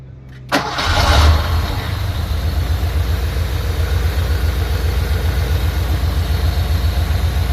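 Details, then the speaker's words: Porsche 928 V8 after fuel pump replacement, new intake gaskets and seals: catches almost instantly after a brief crank, about 1 second versus long cranking before repair, then settles into a steady, even low idle; normal quick start. "So as you can see, it takes only 1 second to start the car up compared to before. Before you got to crank it and crank and crank and crank."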